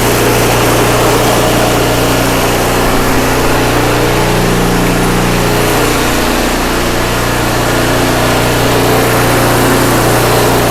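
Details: Craftsman 5/24 track snow thrower, small single-cylinder engine, after carburetor cleaned with carb spray and compressed air (seller's earlier carb clean failed): loud steady even beat, about 220 a minute, no surging, misfire or rattle; healthy, restored.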